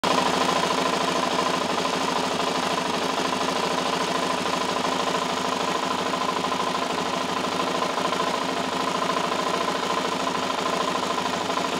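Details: Suzuki LTZ 400 quad engine running with a light, fast, uneven tick about three per second riding over it; source of the ticking not yet pinned down.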